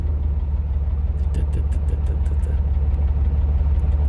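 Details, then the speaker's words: Old vehicle cold idle: rough, uneven with a light tick about two per second resembling a Hemi tick though likely not a Hemi; hosts suspect an exhaust leak, squeak at start; not confirmed. "got he got the Hemi tick did have a Hemi tick but it's not a Hemi though"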